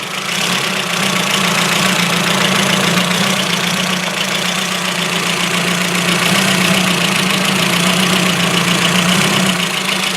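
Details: Ford Focus MK1 RS after a frosty cold start and a short drive, smelling of unburned petrol: uneven stumbling idle exhaust note, a misfire; owner suspects a spark plug not seated properly.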